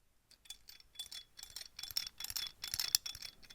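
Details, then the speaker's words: Knife pivot swung freely by the microphone: bright, dry ticking and jingling in quick uneven bursts from a cheap steel knife's steel pivot bearings, compared against the quiet ceramic-bearing OK-229 Shaman replica. "That's cheap steel bearings right there. You know, it works. This is a cheap steel knife, obviously. That's the reason why."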